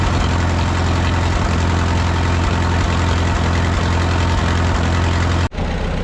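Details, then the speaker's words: 1951 Farmall M tractor, run about 20 minutes toward operating temperature on Autolite 316 spark plugs: steady low idle with an occasional beat where a cylinder drops out; intermittent misfire persists, cause not confirmed. "it's kind of back to running the way it was before we put the Autolite 316s in it you know it's not horrible but it still is uh Missing every once in a while and it shouldn't be doing that"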